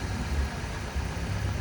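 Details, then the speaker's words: Cold engine just after throttle body relearn programming, idling: steady even low rumble with no misses, knocks or hunting; normal cold idle, expected to drop slightly as it warms. "And right now it's a cold engine."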